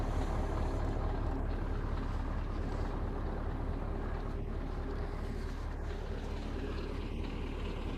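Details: Soviet-era Kamaz diesel truck warming up at idle after first start following 6 months of storage and field servicing, letting brake air build; deep steady rumble, even idle, no knocks or misses; normal warm-up idle.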